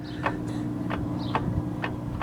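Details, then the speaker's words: VW Jetta, transmission-side inner CV joint, wheel removed: five sharp, hollow clunks about every half second over a low hum as the shaft moves; torn dust boot, likely no grease, worn joint with play in the balls. "Y ahí se escucha el golpe. Entonces, lo que necesito es voy a sacar la flecha y a quitar estos tornillos para poder desacoplar. Este es un balero homocinético que va aquí en esta parte de aquí y muy seguramente está dañado."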